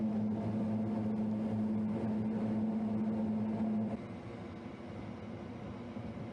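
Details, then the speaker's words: Lennox commercial rooftop unit 18 (reported not heating) in service test heat mode: two inducer motors humming steadily with even tone, no rattle or scrape; both running normally. "all right so both inducer motors are running going to see why it doesn't start"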